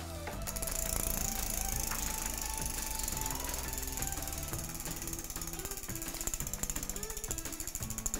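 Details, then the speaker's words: Child's bicycle after derailleur limit-screw and cable-tension adjustment: fast, even freewheel ticking while shifting through the gears one by one, no longer noisy, with no grinding or chain rattle; gears running smoothly. "And you can hear it's no longer noisy. The gears are going round nice and smoothly."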